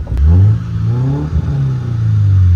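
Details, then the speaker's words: 1992 Mercedes 190E 2.3 four-cylinder Evo II replica on its first drive: smooth rising engine note pulling cleanly through the revs under acceleration, no knocks or misses; slow but sounds good. "Sounds alright. It does sound pretty good."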